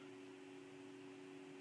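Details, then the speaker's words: Dell Dimension C521 after graphics card upgrade, booting to Linux Mint from USB: a thin, steady mid-pitched tone held with no breaks over a quiet room; a single BIOS POST beep, meaning the machine is booting and working. "So I hear it meep at me, I know it's working."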